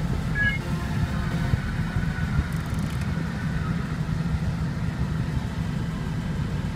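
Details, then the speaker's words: VW Polo 9N 2003 heater blower motor on third speed after removing the dusty cabin filter: constant deep droning rumble with rough buzzy vibration; noise reduced but still a noisy blower motor. "after removing the filter the noise is not so loud now for third speed"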